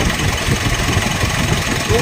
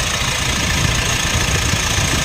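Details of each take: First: 2016 Mitsubishi Montero Sport diesel: idle with a constant raspy whirr over the clatter, even at idle; first blamed on the turbo, diagnosed as a worn bearing inside the alternator. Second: 2016 Mitsubishi Montero Sport diesel, after replacing the failed alternator bearing: even idle clatter with no squeal or rumble from the accessory drive; the noise is gone, normal engine sound.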